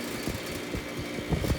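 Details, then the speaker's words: Air conditioner on fan speed 1 with the compressor sounding fine: low fan hum with a loose, irregular tapping rattle inside the cabinet. Something is loose in the unit, source not yet found. "I don't know what that noise is but there's something rattling around in there something loose I gotta figure it out"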